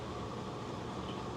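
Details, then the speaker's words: Magic Chef 1.7 portable washer after five years of use, on spin cycle with timer counting down: steady flat motor drone with no rising swish or spin-up; drum not spinning. "It's supposed to be spinning. That's the noise. It's supposed to be spinning. And it's still not spinning."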